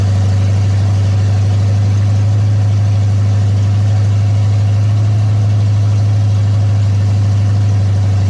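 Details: Ford big-block 460 V8 in a 1956 F-100, first fire-up fed from a gas jug, during cam break-in: deep, loud, steady rumble at fast idle with an even beat and no knocks or misses; normal running.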